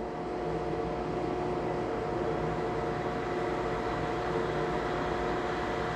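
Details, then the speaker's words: Lochinvar FTXL 400 boiler after lockout from flow switch/LWCO and circulating pump replacement, relit cold going to full fire: pre-purge, ignition, then steady even burner roar with constant pump hum, no surging; normal firing. "he's going into pre-purge i hear the ignition there you go ignition"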